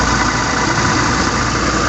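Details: Toyota Fortuner VRZ, A/C on, idle, heard near the compressor at lower left of engine: rough, constant growl under the running noise, quiet when disengaged; worn A/C compressor clutch plate.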